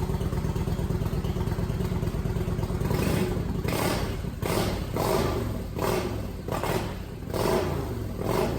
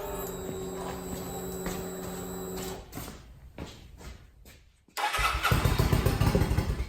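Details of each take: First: Kawasaki VN900 Vulcan bobber build, first start after refitting tank and fuel pump and fixing the fuel feed: V-twin catches and settles into a loping idle with a few throttle blips, no knocking or clatter; normal idle. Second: Kawasaki VN900 Vulcan bobber build, first start after refitting tank and reconnecting fuel pump and return line: steady starter whir with even cranking pulses for several seconds, a lull, then a rough burst; engine struggles to fire.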